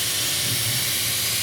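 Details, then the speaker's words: Chrysler/Dodge/Jeep with P0455 large EVAP leak: steady airy hiss from the rusted metal EVAP vent line under pressure test, with the mic close to the line as it is touched; pressure drops immediately, cannot build up. "So usually I'll get like some of that pink tire spray and try to find it, but you can hear me touching it. So pretty much my leak is that metal line that goes from"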